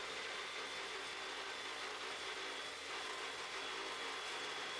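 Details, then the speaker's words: Evolution 15-inch cold cut saw with 14-inch aluminium blade cutting aluminium round stock under light feed after an extension-cord breaker trip: even, steady high-pitched cutting hiss with no bogging or chatter, a smooth cut. "yeah the saw is not really intended for this but we're going to make it work and there we go it's actually a very smooth cut"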